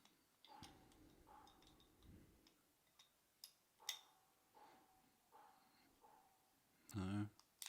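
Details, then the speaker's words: Shimano RSX A410 brifter, three-speed side, tested after disassembly, cleaning and regreasing: crisp single ratchet clicks each time the lever is worked, indexing cleanly after repair. "ah and there you go all right so this is a two-speed shifter nice to hear the clicking again"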